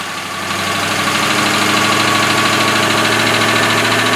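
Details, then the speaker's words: Boat V8 engine with Cobra outdrive, newly got running and started with the key, still needing a lower unit: steady, even, quiet idle settling quickly after start with no knocks or misses; normal idle. "I got it running. I'm going to start it up for you, let you see what it sounds like. Super quiet, starts up immediately, but I still need a lower unit."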